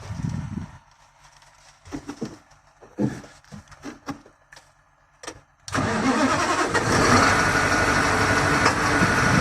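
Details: 2022 KamAZ manipulator truck diesel, injectors already swapped, check-engine light with knock: cranks and catches into rough idle with steady knock about three per second, then stalls; low fuel pressure traced to poor fuel pressure sensor contact.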